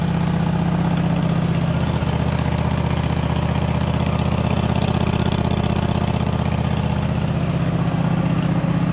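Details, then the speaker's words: 2007 White Outdoors (MTD) CT 54 zero-turn mower, Briggs twin, sat 3-4 years, start on choke after top shroud refitted and factory fuel line hooked up: steady, even low thrum, no misses or knocks, running on its own; normal idle. "can't believe it's running on its own"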